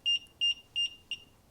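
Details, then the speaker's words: Infinity Shield 2025 garage door safety sensor receiver, correct polarity wired: four short high beeps about three a second in a quiet room while the red light blinks, warning the door's beam is blocked. "Now on the receiver, a solid red light means the door is clear, and it blinks and beeps when you"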